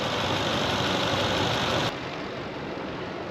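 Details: V8 just revived settles into a steady, even idle with a smooth rumble and no knocks or misses; normal, healthy idle.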